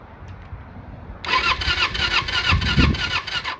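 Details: 1995 Kawasaki Eliminator EL250, off the road since about 2019, spark plugs sparking weakly/down the side: starter churns steadily, about three turns a second, for over two seconds without catching; plug suspected, not confirmed; crank no-start.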